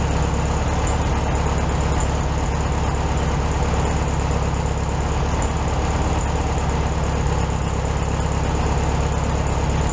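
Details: 1967 VW Beetle 1500cc air-cooled, warm idle after carburetor reinstalled on new base gasket (second fix); steady, even low chug, no stumbles or hunting; smooth healthy idle, probably a touch high.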